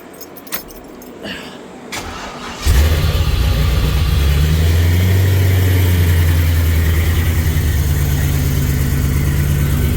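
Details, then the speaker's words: Plymouth Cuda V8 after suspension work cranks and fires into a loud, lumpy idle with a puffing exhaust leak at the pipes; exhaust leak. "girl still got that exhaust leak oh right there"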